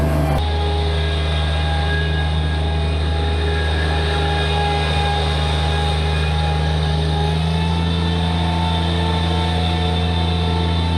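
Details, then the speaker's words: Bobcat MT85 mini loader after belt tensioner replacement, steady deep diesel drone with a full bucket under load, even tone and no belt squeal; the old tensioner was the problem. "So replacing that tensioner completely fixed that squeaking. So I think I may have gotten lucky there, but that was pretty cool. That tensioner was the problem."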